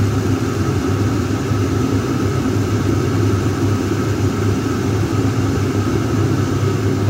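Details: Chinese diesel heater with an added external thermistor temperature sensor, under test. An even, steady fan roar with a low hum and no surging or popping; it runs smoothly at full output before cycling down.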